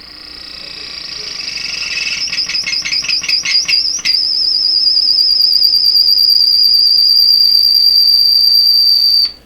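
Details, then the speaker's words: Deforest 10DA517 AM tube radio: a warbling, pulsing whistle settles into a loud, steady shrill tone; audio oscillation squeal that can be quelled by a finger on the grid cap, cause not yet found. "Oh, I can actually quell the squeal with my finger here on the grid cap."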